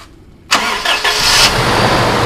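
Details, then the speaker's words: 2005 Toyota Innova (upgraded to 2015 look) starting after engine overhaul that followed oil and coolant mixing into a milky fluid, radiator cap open; catches at once and settles to a steady even run, no knocks or misfires; engine now smooth again. "gas Le gas mesin mesin sudah jadi alus kembali mesin enak kaki-kaki enak mobil enak tinggal ngolah bodinya"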